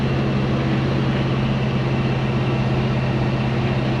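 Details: 1970 Chevy C10 with a 327 small block and HEI distributor, after a mis-installed distributor was corrected and a loose fitting fixed: deep, even V8 burble, no misses or pinging; smooth, normal idle.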